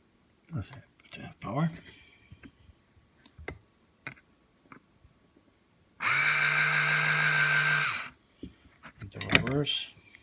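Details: Mercedes-Benz W126 passenger-side power mirror, test run after disassembling and repairing its stuck gear motors: a smooth, even two-second electric whir at steady pitch that starts and stops cleanly. The mirror motor now runs normally.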